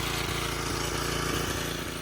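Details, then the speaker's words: 1987 Craftsman tiller, revived after 20+ years, at wide-open throttle after mixture adjustment: the single-cylinder engine fires with a quick, fairly even beat and only slight unevenness, running much better. "Now mind you, this is set wide open right now, so I want it to be running optimally at wide open. And that's a lot better."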